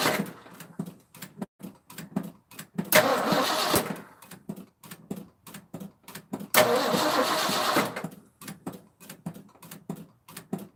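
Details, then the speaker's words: 1984 Ford F-250 4x4, 460 7.5 L V8, carburetor replacement, after switching to the second fuel tank: slow steady cranking about three a second with two harsh bursts, never catches; carburetor dry, no fuel delivery, coil sparking good. "nope same thing dry as a whistle that's no bueno"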